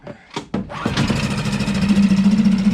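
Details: Suzuki DF6 4-stroke outboard on an external fuel tank with hand pump and new connectors, started with choke: a couple of pull-cord attempts, then it catches and runs steady and even; fuel delivery works.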